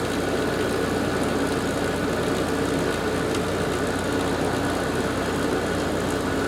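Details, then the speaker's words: Garage air conditioner season startup after fitting new capacitors, switched on in low fan speed: fan and compressor start together with a steady, even roar and faint hum, no rattles or surging; normal startup. "sounds fairly happy fan sounds great those new capacitors did the trick"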